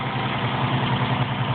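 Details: 1973 International 1310 one-ton dually 2WD with a 392ci V8 and 34,438 original miles, warm after a morning of driving. The V8 idles with a steady, even rumble and no misses, knocks or ticks, so it sounds healthy.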